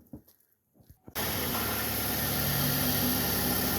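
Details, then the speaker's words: 2014 GMC Acadia just after new spark plugs, previously rough idle: starts from silence and settles into a steady, even idle with smooth hum and no misses; normal idle. "It purrs."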